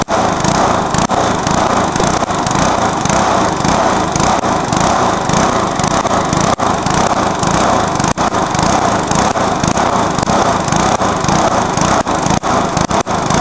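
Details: Briggs & Stratton lawnmower engine deliberately run on nitro to blow it: harsh high-pitched flat-out scream with brief stumbles, dropouts and a backfire; over-revving toward failure, ending in fire.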